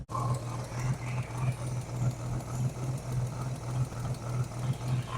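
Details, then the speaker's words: 1988 Chevy S10 Blazer, abandoned and first run after sitting, put in reverse: idle surges and lopes unevenly like a big cam; rough-running V6 that barely wants to move, cause not identified. "she is she's rough but she runs and she drives wonder if I could make it drive around the yard"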